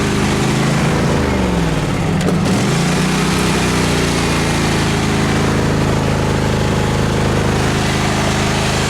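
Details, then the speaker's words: Craftsman FS 5500 lawn tractor after its carburetor was cleaned, mowing: the engine pulls down under load, then settles into a steady, even drone without surging; it runs well now. "I got the front mode pretty good. It's running pretty good now. Quit surging."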